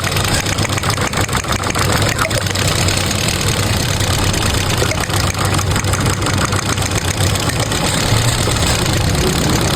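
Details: Car at idle: loud, rough idle with an uneven, stumbling beat under the steady drone, sounding like a misfire at idle.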